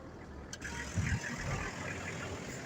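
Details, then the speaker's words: Abandoned old Toyota LandCruiser ute found in the bush in central New South Wales, started straight up on a fresh battery: faint, steady diesel rumble at idle with handling noises, settling to even tick-over; some wiring melting, clutch fluid leaked out. "that is running that is just amazing that is just unreal that thing there started straight up that's incredible"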